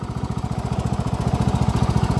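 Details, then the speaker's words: Cub Cadet riding mower revived with a new Kevlar drive belt and oil change; steady, even low thump at idle with no misses or knocks, started easily and runs really well. "runs really really good let's see if we can fire it up without the choke see how easy it starts"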